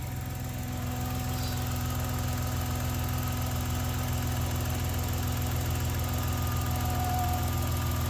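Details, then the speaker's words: 1990 Dodge Grand Caravan LE, first start after alternator work on ramps in winter, engine cold, power steering rack probably empty: idle with a faint steady whine and gurgling, suspected low fluid in the power steering pump; steering assist then works. "I can hear it kind of gurgling so let's see do I have power steering"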